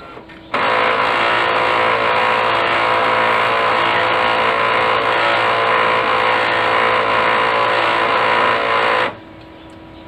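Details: Brother DCP-L2540DW laser printer running with loud, rough grinding that starts and stops abruptly, from a worn fuser assembly, fixed by replacing the fuser unit.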